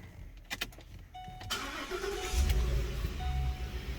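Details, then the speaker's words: 2014 Ford Expedition 5.4 SOHC V8, previously misfiring left bank 5–8; after actuating the stuck left cam phaser oil control solenoid with a battery pack, cranks and settles into steady, even idle, no misfires or codes. Normal start and idle. "running absolutely fine now so let me go back and what i'm going to do is i'm actually going to actuate that uh solenoid and watch this"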